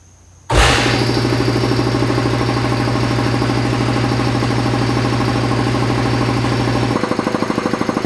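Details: Newly installed Craftsman 80-gallon air compressor starting for the first time after wiring it in: a sudden start into a steady, even pumping thrum that deepens slightly as the tank fills, running smoothly with no knocks or squeals.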